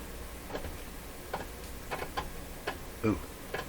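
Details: 1937 Rogers Majestic Model 7R622 tube radio, dial turned: sharp irregular clicks about every half second; dial string missing, tuning drive slip clutch slipping and ratcheting, with suspected brake pressing on plates.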